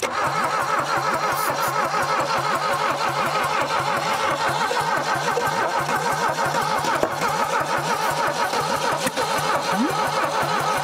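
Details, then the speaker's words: 1968 Saab 96 V4, sitting over 40 years: starter spins it quickly and unevenly with light compression beats and no catch; compression is only 60–100 even after oil was added to the cylinders. "it just don't have enough compression we had that oil in the top of it but after that it kind of stopped"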